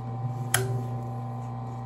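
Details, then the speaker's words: Consew clutch motor for sewing machine, 110–115 volts: a steady low mains-frequency hum runs unchanged with the pedal released, the motor spinning continuously; loud but even. Constant motor hum. "listen to the motor the clutch motor it's a uh 110 volts 115 volts there's the noise i don't know if you can hear it it's it stays on like that"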